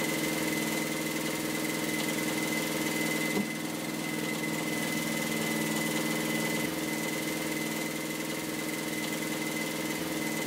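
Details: Universal Atomic diesel (model 5411) in a sailboat, after running out of fuel, bleeding lines and bypassing the fuel pump: steady diesel chug at an even idle, firing smooth with no misses or hunting; running normally.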